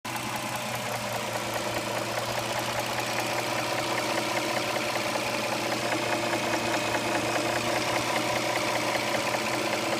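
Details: 2007 Dodge Charger 3.5 V6 with correct oil level, at idle: light, fairly even tapping over a steady engine note, about two or three a second; owner suspects lifters or rocker arms, cause unconfirmed.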